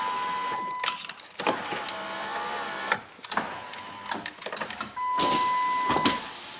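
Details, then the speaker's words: 2008 Chrysler Town and Country, driver's door had no power windows or locks (interior CAN fault): after reconnecting, several clean, even window motor whirs with no grinding or stalling; everything works now. "Hey, look at that. Everything works now."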